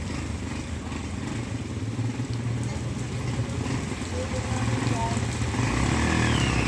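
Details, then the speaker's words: Overhauled single-cylinder barako motorcycle, carburettor adjusted after a loud engine clatter, runs with a steady low thump and no heavy clatter; it now sounds healthy. "Yan guys goods na yung ginawa nating ano barako boy los inaayos niya yung carb kasi yung ayun guys okay na yung paraako ni sir."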